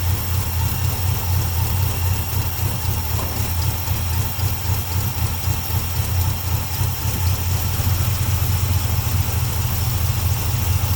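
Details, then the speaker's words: Old carbureted 1951 car on its first spring run after oil and plug change, settled into an even, deep, steady idle with no misses or knocks, after mixture screws were adjusted from running a bit rich. "Runs better there now. I just love that sound."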